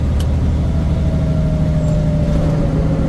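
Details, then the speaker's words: Big rig after new belt tensioner (belt, two idler pulleys, fan clutch already replaced; belt used to screech when fan clutch engaged at higher rpm): steady deep diesel drone at about 1500 rpm with fan clutch on, no squeal; fixed. "oh nice no Screech at all boys that's amazing see my ears"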